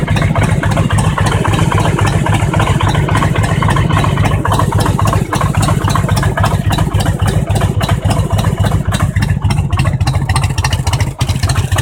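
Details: Harley-Davidson Road King Twin Cam 88 V-twin, knock that began around 50k miles: lumpy, deep idle with an uneven knock riding through the beat, hard to separate from the normal thump; cause unclear.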